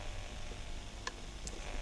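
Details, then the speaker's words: Horus X12S RC transmitter with Crossfire module after the anti-hum modification, mic at the speaker: near silence, faint room rumble and two tiny ticks, no hum. "I'm gonna take the mic and move it to the speaker, and you can hear not a single sound."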